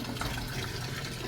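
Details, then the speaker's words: Samsung Diamond drum automatic washer after its faulty controller board was replaced with a Samsung Wobble board: steady gentle splash of water pouring into the tub with no clicks or hum; normal water fill. "so Ito okay na kagan siya ng water it aking pitan board"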